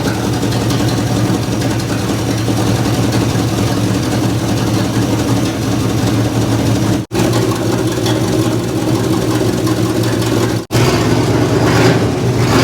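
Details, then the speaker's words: 1961 Chevy Apache, carbureted, revived after 20 years in the desert, after fouled, wet plugs were replaced with new plugs and the carburetor adjusted: an even, steady engine note with a smooth low rumble and no misses; running much better. The start solenoid is failing. "Yeah, that's better. Yeah, the spark plugs, man. Those things are trash."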